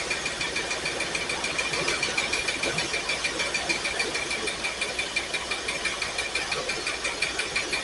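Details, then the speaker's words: Pontiac Firebird, carbureted V8, first start after fuel tank install and fresh fuel: thin, uneven ticking idle stumbling about three beats a second, running on fewer cylinders; cylinder 8 dead, another weak; cause suspected, unconfirmed. "That one's contributing. That one's contributing a little bit. It's not great, but that one's firing. This one's dead. This number 8 is bad."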